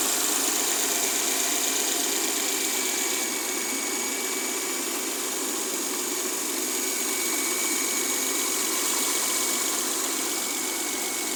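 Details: Mercedes W212 with M272 V6: light, fairly regular clacking at about three per second over a smooth idle; source unknown, owner thinks it comes from one area of the engine bay.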